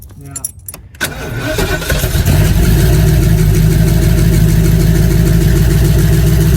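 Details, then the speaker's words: 1989 Ford E150 with a 460 big block (about 10,000 miles on the engine), warmed up after new lifters: a steady idle with a dull tick or knock about three times a second. The noise persists, and a bottom-end problem is suspected. "all right well we put the new lifters in it started up and the noise is still there so we're gonna have to pull the engine out of this again and probably do a bottom end rebuild"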